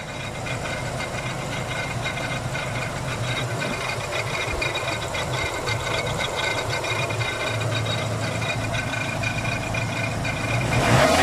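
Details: 1995 Ford Ranger 2.3 petrol engine running: coarse, gritty grinding rattle pulsing about four times a second.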